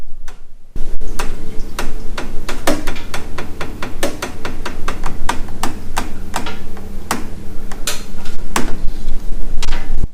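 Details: Central heating 15 mm pipes run stiffly through timber notches cut with roughly 18 mm drill: irregular sharp ticks and clicks as pipes expand and rub on timber.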